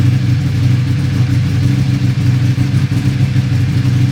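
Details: Buell 1125R: idling with an uneven, lumpy pulse and wavering speed; rough idle, cause not yet pinned down.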